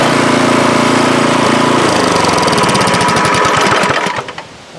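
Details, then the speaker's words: MTD snowblower after swapping in the engine from a second junk machine (original engine had no compression), primed and pull-started, cover not yet on: catches on the pull, settles into steady even chug, then shuts off; running good. "I'm gonna put that cover on here seems to be running good"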